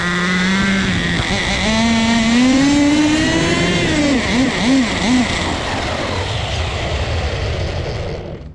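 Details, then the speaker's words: Turbocharged nitro RC car at full throttle: high thin scream wavers and sags in surges, then the engine bogs and dies with a sizzling sound; owner unsure whether it is too rich or running lean and overheating, cause unconfirmed. "bogged out and died on us again boys listen listen I don't know if you guys can hear it but it's sizzling"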